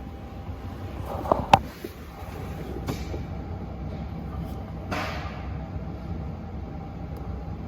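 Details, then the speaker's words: HGV tractor unit that jumps out of gear: with engine off, transmission control module teach-in via diagnostics, gearbox actuator clicking through gears with separate sharp clicks and clunks a second or so apart; clutch position sensor values all within spec. "I'm going to continue when we start explaining my function display and must be started with them you can hear it clicking through gears"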